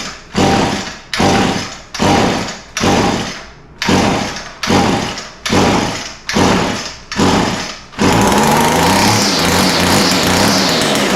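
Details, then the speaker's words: Echo SRM 225 two-stroke line trimmer after the recoil starter was fixed and the coil replaced, started with wide open throttle and choke plus carb cleaner: eight or nine sharp pulls, then it catches and holds a steady high buzz, starting and running properly. "all right well that's a good sign obviously it started"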